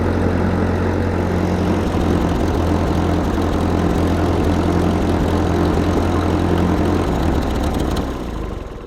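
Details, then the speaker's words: 1943 Ford 9N tractor with backhoe being brought back to running: low, uneven idle that lopes, stumbles and sags near the end; it runs but not well, and the block has several cracks. "she runs not going to say she runs well she needs some help uh the block has a lot of issues"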